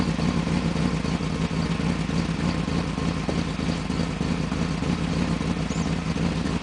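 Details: Rough, lumpy idle with an irregular beat instead of a smooth six-cylinder hum on a 1995 BMW 530i after a top-end engine rebuild, running rough due to a vacuum leak.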